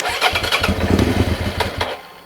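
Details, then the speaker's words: 2003 Suzuki SV650 with a recently fitted new fuel pump, fuel pump audible: engine fires in a short ragged burst, then stumbles and cuts out within two seconds; suspected debris dragged into the fuel injectors, clogged injectors. "Cuts out. You can hear the fuel pump going. So, I think what's happened is it's dragged a load of rubbish into the injectors."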